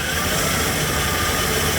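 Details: 15-passenger van, factory V8 with a newly installed Procharger, first start settling from high idle: subdued idle with a faint airy blower hiss, quieter than the Corvette. Normal supercharged idle.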